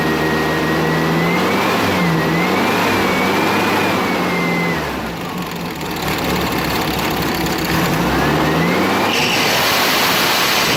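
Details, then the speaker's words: Air-cooled flat-four with a catalytic converter newly fitted after the muffler: it runs smooth and even, revs rising and falling cleanly, exhaust note noticeably softer and muted; normal running with quieter exhaust. "Sounds a little quieter."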